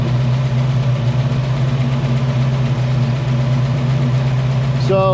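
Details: 1968 Mustang 302 V8, after installing a Pertronix Flame Thrower distributor and coil with Moroso plug wires, timing near its previous mark: deep, steady idle burble with an unbroken rhythm and no misses, knocks or ticks. Idling happy.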